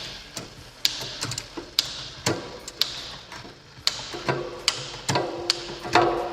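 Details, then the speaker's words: Rambo bike rear derailleur after barrel-adjuster tension adjustment, tested one gear at a time coming back down: crisp single click per shift, evenly spaced, no grinding or chatter; shifting cleanly. "so you just test it here just one gear at a time again shifting fine"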